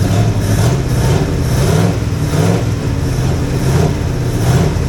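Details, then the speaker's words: Jeep FSJ/SJ Cherokee, first run after setting the distributor, cheap Chinese carb due for replacement: low idle rising and sagging every second; owner thinks it may have a miss, possibly from a misrouted plug wire; no smoke. "well I heard what I wanted to heard it's actually sounds pretty decent sounds like it might have a m to it and that could be on me getting one of them clipped in over"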